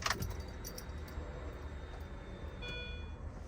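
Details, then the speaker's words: R53 Mini Cooper S key-on after replacing the failed fuel pump: faint steady high hum from the back seat for under a second, new pump priming normally where the old one made no buzz. "That That's what a fuel pump is supposed to sound like."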